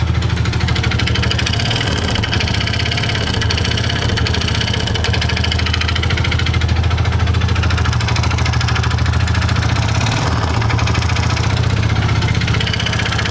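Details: Yamaha Vega Force motorcycle: steady loud idle with a coarse, uneven knocking rattle over the beat; mechanic first suspects the connecting rod; broken cam chain tensioner, slack chain and worn piston found.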